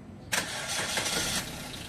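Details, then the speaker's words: Suzuki Ertiga after fixing a loose air filter housing (grommet thickened with electrical tape): engine cranks, catches and idles smoothly with no rattle or vibration, complaint was vibration on fresh start. "kung makikita niyo mga boss Wala na siyang ingay or wala na yung vibration dito sa air filter housing"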